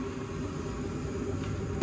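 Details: Brand-new gas furnace after no-heat call where a bug or moth had stopped the draft inducer motor: steady low hum, even airflow, no rubbing, ticking or wobble; blower and inducer run smoothly.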